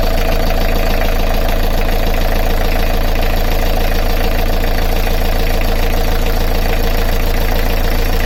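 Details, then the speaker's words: Beta Marine 38 diesel narrowboat engine idling with alternator belt released, chasing a tapping rattle: steady even idle with regular low thump, no knocks or squeals; noise gone. "There's no noise whatsoever. There's no noise. It's so smooth."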